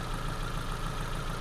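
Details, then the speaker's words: Ford Focus idling after spark plug change, check engine light flashing with P0300 multiple misfire; idle stumbles with uneven low thumps and a faltering beat, scope shows dropouts on cylinder one; customer-supplied plugs suspected faulty. "see the check light flashing right and when i scan the car tell me p 0 300 um multiple misfire right so this is what's happening with the new plugs in the vehicle"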